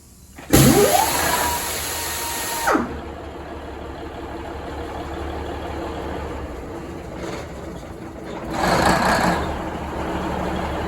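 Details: Budd RDC 9114 railcar diesel engine No.1, first start after transmission oil cooler replacement, transmission flushed and coolant and oil refilled: starter whirs, catches within about two seconds, steady even idle with no knocks or misses.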